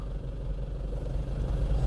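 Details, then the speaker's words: Nissan Frontier after clutch replacement, idling: smooth, even low rumble with no rattle or clatter from the bell housing; earlier pedal noise apparently gone, cause apparently the clutch disc, not the dual-mass flywheel. "O ruim do aparentemente parou ainda não escutou mais Tudo indica que era o disco da embreagem não era volante de Março"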